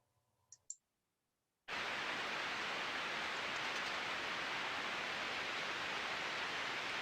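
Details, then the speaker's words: Ultrasound on one of eight motor bearing points on an asset, reading zero decibels yet tonal quality audible: very smooth, uniform even hiss with no crackles or clicks; healthy bearing, usable as baseline recording. "very smooth very uniform"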